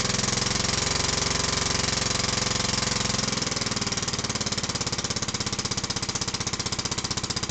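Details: Villiers Mk10 single-cylinder on a Barford Atom, first cold start on choke after fitting new piston rings, somewhat smoky: steady thumping settling to slow, even firing with no knock. Normal running.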